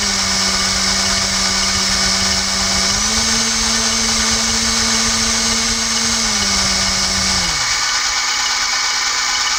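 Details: BL 2.4GHz RC helicopter 9004G, microphone next to the tail rotor, toggle speed button pressed twice: steady whine steps up in pitch around three seconds, drops back after six, then winds down. Tail rotor speed change working.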